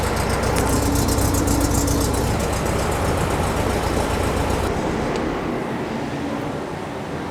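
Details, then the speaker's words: Air-cooled flat-four in a VW-based Porsche 356 Speedster kit, restarted while chasing remote oil filter over-pressurization; a loose nut on the carburetor was found first. Starts much better and the pressure light goes off. Even, steady idle with a smooth pulse and no knocks or misses; healthy. "sounds good though"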